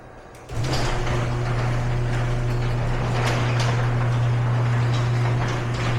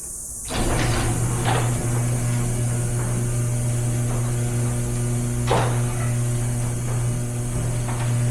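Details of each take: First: Garage door before roller replacement: steady low opener drone with an uneven rattle and clatter through the travel; worn rollers with lots of wobble and play rattling in the track. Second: Garage door after replacing the worn, wobbly rollers with new ones: steady low opener hum with only light occasional taps, a smooth and quiet run.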